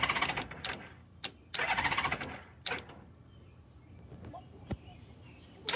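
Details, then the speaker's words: Starter clicking on a 1994 Honda GL1500 Goldwing Aspencade after aftermarket fuel pump replacement, first start attempt on center stand: scattered sharp clicks and buzzy bursts, no cranking; owner suspects battery run down by headlights during compression test. "lots of clicking but I don't know the headlights on I could have run the battery down during the compression test which is possible"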